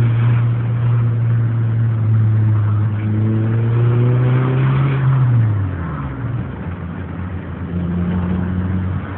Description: Knocking sound, head or bottomend?